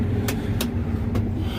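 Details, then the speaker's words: John Deere combine after a new sprocket was fitted and the chain slightly tightened; the owner thinks that chain was the squeak: even low rumble with no squeak, chain drive now quiet, running normally. "I can't believe that's what was squeaking, but I suppose it's possible. But I don't hear it now, so good."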